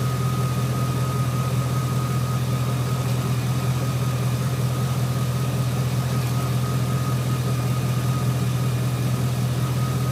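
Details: 2003 GMC Sierra SLE 4.8 L V8 idling after fitting used remanufactured 105 A junkyard alternator, about 13.2-13.5 V at battery: smooth even low rumble with faint constant whine, no misses or knocks; normal healthy idle.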